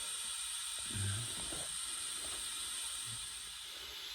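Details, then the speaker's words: GMC General truck air brake system, couldn't build over 40 psi; after swapping in a new Bendix governor, charged from the shop compressor, a constant high hiss escapes from a couple of air leaks over faint shop noise. "We couldn't get it over 40 before, so we got a couple air leaks, but if the shop compressor can keep up with it, that big guy down there should definitely be able to keep up with it."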